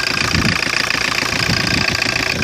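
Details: 1985 Ford Escort diesel with a Mazda RF 2.0 replacement factory engine, low miles, first start after sitting three years. Air filter off, not revved; the glow plug preheater had been draining the battery. Even diesel clatter at a steady, healthy idle.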